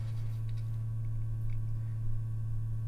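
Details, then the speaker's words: Vintage ultraviolet Mineralight lamp run from a 6 V lantern battery, switched to ultraviolet: steady, even low hum at about 120 Hz, normal electrical buzz of the lamp. "this is the little incandescent bulb see and then on the switch down how is the ultraviolet you can probably hear humming like with my other model of mineral light"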